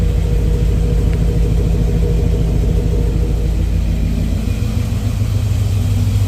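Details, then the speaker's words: 1989 Dodge D100 V8 with headers and Borla exhaust, started after what is probably an oil-leak fix: deep idle rumble that shifts and sags, hunting and wanting to stall; unstable idle, cause still unknown. "Now I just gotta work on why it keeps wanting to fluctuate and idle and die."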